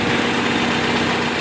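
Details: Volvo 940 Turbo: uneven lumpy idle, missing and hunting before stalling; knock sensor and a hose replaced, no codes; owner suspects crank position (RPM) sensor with frayed wiring, vacuum leaks unchecked.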